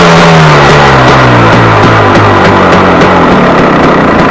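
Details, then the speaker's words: KTM 250 EXC two-stroke, warmed up, 50 pilot jet (too rich as throttle opens), slow rich idle: sharp pipe bangs, several per second, through the exhaust on overrun back to idle; owner suspects air leak at ignition-side crank seal, unconfirmed. "Um, but the bang bang bang bang bang bang bang overrun. Now, this is the first thing that struck me when I started this thing the first time."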